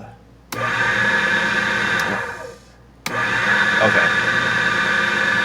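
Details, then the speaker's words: ITL key code machine after power supply rebuild with new capacitors: at switch-on motor jumps straight up and runs steadily with no cut started; owner suspects a bad chip or capacitors on the computer board. "if you notice when I turn it on the motors kicking right on so this chip might be bad"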